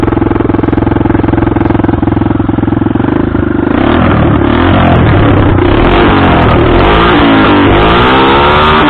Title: Hartford vr 150 misfire no exhaust modified sound